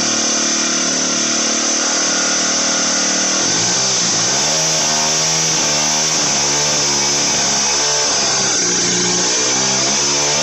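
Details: Motorized bicycle small two-stroke, turbo version 4, after jetting fixed: high buzzy dental-drill-like scream climbs and falls evenly with throttle, no bogging or misfire; pulls clean.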